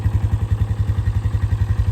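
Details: 2008 Polaris Scrambler 500 HO 4x4 ATV, owner calls engine very healthy: even single-cylinder thump about seven beats a second, steady and unbroken, no sputter or miss. Normal idle.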